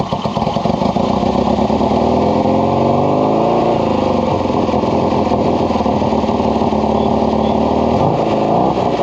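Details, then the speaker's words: Kawasaki KZ750 vintage four-cylinder with its original battery (12.46 V before start), intermittent-running problem being troubleshot: steady, even idle, smooth exhaust note, no misses or knocks; charging system works, normal idle. "It seems to be charging, so mark that off the list."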